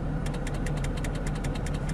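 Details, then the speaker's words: 2007 Jeep Grand Cherokee with an intermittent radio, test drive at idle: sharp, even clicking about nine per second near the dash. Source unclear; dash or external fuse box suspected. "vamos a ver qué está pasando allí logran escuchar esto l clic clic clic"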